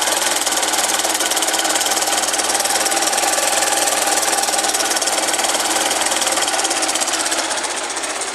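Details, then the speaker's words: 2009 Honda Fan 125 single-cylinder idling with a dense, fast metallic rattle from the cylinder head area; mechanic checks the cam chain and whether the top end is getting oil; loose cam chain rattle. "nós estamos aqui galera com essa 125 ela está com barulho no motor"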